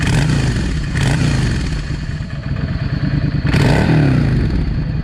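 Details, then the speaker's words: Yamaha V Star 650 motorcycle: engine picks up sharply and drops back cleanly on each throttle blip, even exhaust beat, no stumble; problem found, revving normally. "Hey folks, I have found what some of the problem was. Listen how this thing revs now."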